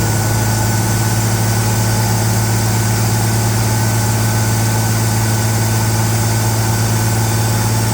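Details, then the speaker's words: Ford Bronco after radiator hose and fuel line work, warming up: steady fast idle with constant deep drone and no dips; the elevated cold idle came down on its own but still seems a little high. "Okay, it came down on its own. Uh still looks a little higher than I think it ought to be, but that's all right."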